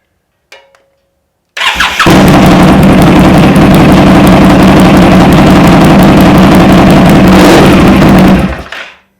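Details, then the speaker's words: 2018 Indian Scout Bobber with S&S air filter and Vance & Hines exhaust, just after Power Commander V install: quick starter whirr, then V-twin fires at once into loud, even, lumpy idle with no misses. "Sounds good. Power Commander installed. So we installed the Power Commander and the bike seems to run just fine."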